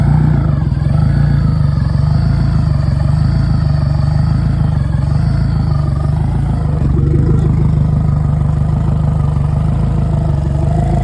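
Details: Yamaha F150 outboard after high-pressure fuel pump replacement in the VST, primer bulb pumped, first test start: loud, steady deep engine note, even with no stumbles or surging; starts and runs cleanly, normal running.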